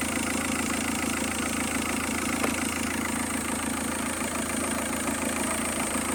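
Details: Engine at idle after an ITV inspection (oil in coolant already fixed): even, hissy mechanical rustle with no clear knock rhythm; strange noise traced to inside the engine, source unclear, sensor is new.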